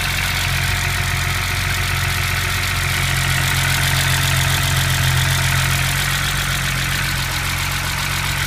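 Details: BMW M20B25 inline-six after intermediate shaft repair: smooth, even idle with a steady low hum and light top-end ticking, no knocks or misses. Normal idle.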